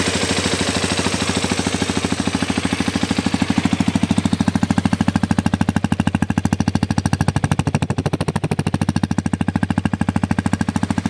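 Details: New Xpulse 210 single-cylinder at idle with fast, steady, sharp knocking about three per second; engine knock.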